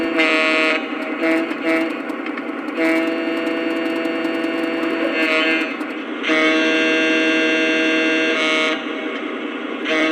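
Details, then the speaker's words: New 2025 Lionel FM TrainMaster diesel with the shell on, running and blowing the horn; a popping, buzzy vibrating rattle swells with the horn; owner suspects the speaker housing is not tight enough; loose speaker rattle. "And I've got three other versions of these new Train Masters that don't do that. So, yeah. I don't know if you can hear that, but there's this popping vibrating noise."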